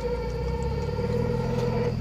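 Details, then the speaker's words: Mazda Miata NA, back from mechanic and also misfiring: steady mid-pitch squeal over low engine rumble, usually when releasing the clutch, absent with clutch pressed; cause undetermined. "and I could there's a so usually happens when I'm releasing the clutch on this one"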